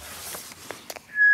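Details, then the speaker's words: Ultralight intercom powered by a 12V-to-9V battery adapter: after a few soft clicks, a loud steady high-pitched feedback squeal starts and holds when the adapter plug is pushed fully in, and stops when backed out about a millimeter. "If I push that all the way in so it's bottomed out, it squeals."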